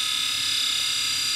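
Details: Dead hard drive from a scrapyard with damaged connectors, powered on: harsh steady high-pitched scraping with no spin-up rhythm, slowing then stopping; internal grinding.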